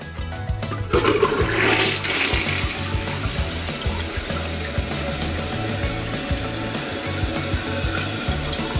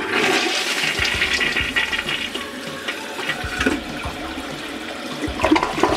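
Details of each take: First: Toilet not clogged but flushing weakly: water trickles and gurgles in a long, weak rush without a strong swirl, too slow to carry paper. Weak flush from blocked water passages. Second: Toilet that drained poorly though not clogged, repeat flush after clearing deposits from the rim holes with a wire: strong rushing flush ends in a deep gurgle as the bowl empties fully, then clean refill; the gurgle means the fix worked.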